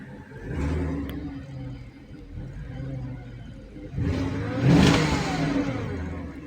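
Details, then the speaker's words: 2004 Porsche Cayenne S, warmed up, free rev to about 3,000 rpm: idle then a smooth rev that swells and falls back cleanly with no clatter or misfire; healthy engine. "I give it a little rev here. You get up about three grand. [laughter] Oh, that sounds good."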